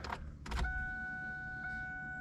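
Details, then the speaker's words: 1999 Ford Mustang convertible with a 3.8 V6, cold, hard to start, with a check engine light for bank 2 sensor 2: a couple of clunks, then a steady high fuel pump whine. It starts once the pump becomes clearly audible, so a fuel pump issue is suspected. "and it you can tell when the fuel pump starts to be to where you can hear it easily it'll start so we've got a fuel pump issue as well"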